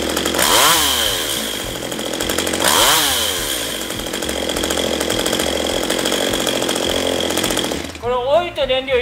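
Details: STIHL MS192TC chainsaw, reported hard to start and unstable: revs shoot up and sag twice, then wander unevenly with pops as speed drops toward idle; carburetor adjustment applied as the fix, possibly end of engine life.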